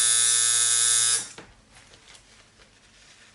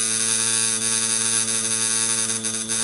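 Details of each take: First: Coil tattoo machine lining on practice mats: three short, harsh buzzing bursts. The operator suspects it is running way too strong, saying a well-tuned machine should run around 4.8 volts or lower. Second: Coil tattoo machine running a larger needle on practice skin: steady buzzing hum with bright edge dipping slightly in pitch as the needle meets skin resistance; normal slowing under load.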